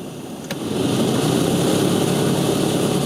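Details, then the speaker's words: 2004 Renault Twingo 1 cabin blower motor at full fan speed: spins up into a steady wobbling rumble with a mid-pitched whoosh, nothing rubbing; broken impeller fins throw the blower out of balance, replacement part to be ordered. "Et ça fait que ça te crée un un ballour euh un ballour dans le quand ça tourne."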